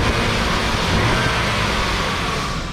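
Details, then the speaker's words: BMW E34 wagon in about 90°F heat: a loud, steady whooshing roar over the engine from the engaged viscous fan clutch, "like a bus." It eases as the fan slows once warm, showing the fan clutch works normally. "you always know when a crank fan is working because it sounds like a bus 41. this is bus 41."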